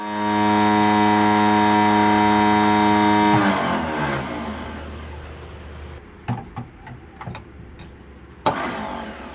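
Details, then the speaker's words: Silver Eagle bus diesel running while the starter stays engaged: a steady, loud electric whine over the engine that spins down after about three seconds; a newly fitted starter solenoid is thought to have shorted, and the bus is started from a bump switch. "What the hell that noise was? Is a starter. So the bus has been running now for a few weeks. Since the day I started it, I was having issues with the starter, and that was in the video of the motor starting."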